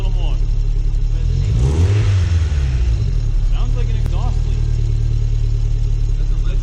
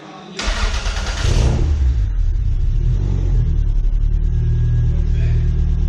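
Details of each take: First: Second-gen 3SGTE in an MR2, running after its first dyno session, which left a slight ticking: quick throttle blips and sharp drops bring a faint puff under each rev instead of a clean note, sounding like an exhaust leak; heat shield to be removed to locate it. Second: Toyota MR2 2nd-gen 3SGTE after re-torquing head, checking valve clearance and repairing an electrical connection: catches quickly, steady even run, deep exhaust note, no popping or ticking; normal running.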